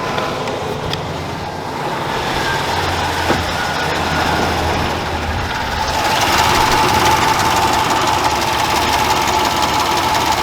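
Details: Dodge Dakota, first fire-up after an engine swap: a fairly steady light tick, about four per second, over the idle. The owner believes a collapsed lifter, RPM-dependent and worsening with each drive.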